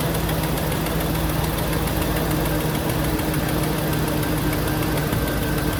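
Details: 1999-2006 GM 5.3 V8 idling after replacing the fan clutch, fan and AC belt, checking for interference: dense, steady idle with an even low rumble and no rhythmic tapping or scraping from the fan.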